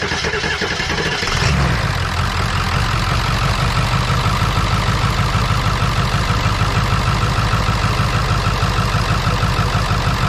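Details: 7.3 diesel parts truck with radiator fitted and fuel pump jumpered: cranks briefly, fires after about a second and a half, then settles into a steady, even diesel idle clatter with no stumble; normal idle.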